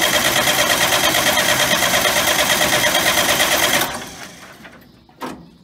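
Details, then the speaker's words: John Deere 6000 highboy sprayer diesel, restarted after running out of fuel and bleeding the fuel filter: even, steady idle of about three pulses a second, then winds down and stops; sounds healthy. "well luckily all we had to do is bleed the fuel filter out and start it up"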